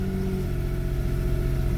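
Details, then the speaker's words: Daewoo Matiz three-cylinder just started after engine repair, cold before warm-up: smooth steady idle with an even low hum, no ticks or knocks; running normally. "ну пробуємо Ага все автомобіль запустився"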